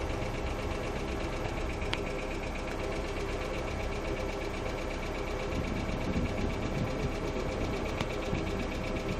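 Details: Hyundai Accent II at steady idle with light, fast ticking over the engine hum from noisy hydraulic lifters in the valve train.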